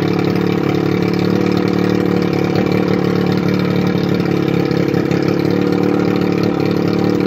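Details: 1981 Evinrude 35 HP two-stroke outboard, run with gearcase off, 150 psi compression in both cylinders, barely warm: steady buzz with even, quick beat, no knocks or misses; normal running.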